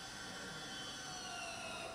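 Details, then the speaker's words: Citroën electric parking brake re-engaged via diagnostic tool actuator test after pad replacement: short quiet caliper motor whir, pitch easing slightly as pads clamp; engagement normal, car confirmed braked. "Donc on refait exactement la même procédure et vous allez entendre le frein de parking se réactiver."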